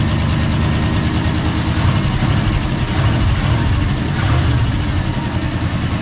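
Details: Old Ford FE 360 V8 truck that would not idle and lost oil pressure, started after several tries with some choke: deep, even burble held at raised idle, steady rhythm without hunting or dying; normal fast idle.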